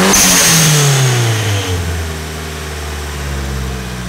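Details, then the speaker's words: Engine-swapped car, NASCAR swap, first run at operating temperature: engine revs high, then drops cleanly back to a steady, even idle with no knocks, ticks or misses; sounds healthy and ready to drive. "awesome now that sounds really good engine sounds nice and healthy so I think it's basically ready to go for a ride"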